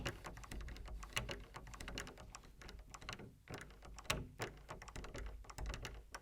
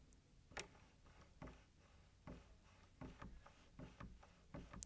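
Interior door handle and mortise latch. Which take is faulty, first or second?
first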